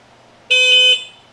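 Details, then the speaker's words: 1972 Yamaha LS2 100cc twin with 784 miles, a 12-volt system now properly powered instead of from a 6-volt battery. The horn gives a crisp, loud half-second blast with a strong, steady tone, where before it was weak: working properly. "much better. That's a 12-volt horn. The other one was a 12-volt horn on a 6-volt system."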